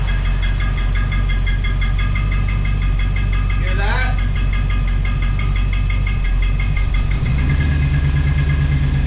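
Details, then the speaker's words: 1969 Plymouth Fury III rebuilt V8 after rear main seal replacement: rapid even ticking clatter from engine front rising with rpm, absent at first start, appeared within 2–3 minutes of running; cause unknown. "so that's no good um and you can see that it does that sound does increase with the RPMs and it didn't make that sound when I very first started it up"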